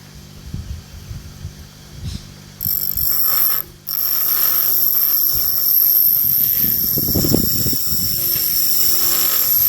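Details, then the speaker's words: Restored 1960s GMF vintage bench grinder with new grinding wheels on shop-made bushes: steady high whine with scraping bursts while dressing the wheels, almost no vibration, no wobble or rumble. Runs smooth and healthy after the rebuild. "well that's looking pretty good it sounds beautiful when it starts up as you'll be able to tell when I am I'm gonna turn it on there's almost no vibration to it"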